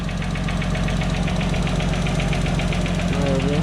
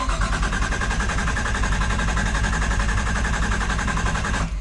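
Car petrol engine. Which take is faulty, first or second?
first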